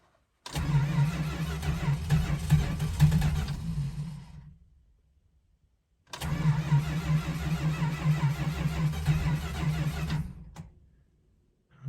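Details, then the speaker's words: 1971 Dodge Charger R/T with 440 engine, cold start after sitting four months, chilly, heavy oil, carburetor needing a rebuild: two long cranking bursts of about four seconds each, uneven churn, no catch; engine loaded up. Cranks but no start, flooded carburetor. "okay so as you can hear i finally got the charger to run that took forever it was really loaded up it did not want to start"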